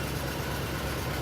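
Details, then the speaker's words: 1962 Studebaker Lark Cruiser, 6-volt car, starts right up; idling loud with an even low rumble and steady beat, no knocks or misses. Normal idle. "And here she is running. I gotta talk a little bit louder because she is definitely a loud car."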